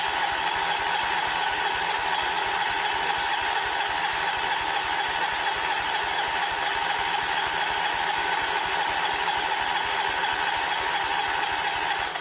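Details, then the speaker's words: 1979 John Deere 214 tractor, sat for months: steady starter churn at about two beats a second, never fires; owner was waiting for the fuel pump to fill the carb, and spark was later confirmed present; cranks but won't start. "I feel like it should have started by now so we have us a triigger problem"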